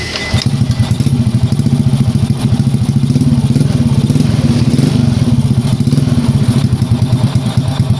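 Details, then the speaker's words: Old Honda Prima motorbike that was hard to start because of a weak CDI, after CDI replacement: it catches straight away and holds an even, quick putter with no misfires, a normal start and idle. "Ya, ini motor udah hidup."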